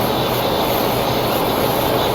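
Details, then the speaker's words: 3.6L engine idling higher than normal (expected 700–800 RPM) with check engine light and code P0507; loud steady rushing hiss over fast idle, noise changes when hoses are moved; vacuum leak at PCV valve hose. "I left it running ladies and gentlemen I hear a vacuum leak that is idling higher than normal I think normal what 700 800 RPM okay when you hear Vacuum Lake just start moving hoses"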